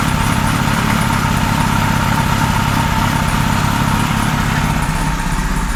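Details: 1978 Kawasaki Z1-R four-cylinder on the stand after re-jetting (20 and 117.5) and carb vacuum re-sync: smooth, even idle with steady low burble, no misses; all four cylinders balanced, normal idle.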